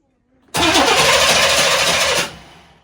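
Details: 1998 Chevrolet C1500 farm truck, long-sitting, with fuel pump cycling: starter cranks steadily for nearly two seconds without catching, then stops; fuel not yet reaching the engine.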